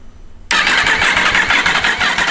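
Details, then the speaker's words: Yamaha R1 race bike, first start after rebuild with engine, throttle bodies and loom refitted, no coolant yet: fires instantly into a sharp, high-pitched rattle settling to a fast, even idle, very smoky, thought to be from debris; normal first start. "foreign she's smoking very smoky I think that is just all the crap"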